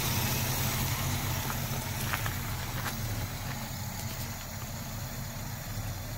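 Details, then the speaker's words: 1963 Cadillac Coupe DeVille V8 heard at the exhaust, first start after about 10 years, carburetor rebuilt, gravity-fed fuel. Low, burbly idle at about four beats a second with an occasionally uneven lope: mild misfire. Owner says about seven and a half of eight cylinders are firing. "oh it sounds like she's trying to get going a little bit there"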